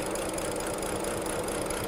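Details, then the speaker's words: 2010 BMW 535i E61 wagon (automatic, AWD, auction car) struggling to stay alive at idle with an uneven, stumbling, knocking beat. Low fuel rail pressure is measured; misfire codes later appear on cylinders 1, 2 and 4. "let's see if we can get it running and I can run around it quick enough to see what fuel pressure is stay alive yeah it's got low rail"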